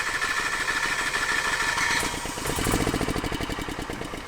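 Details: Generator on an auction RV, batteries weak and needing jumper cables, carburetor won't prime; steady rapid cranking chatter around three beats a second, trying to catch but never firing, likely fuel starvation.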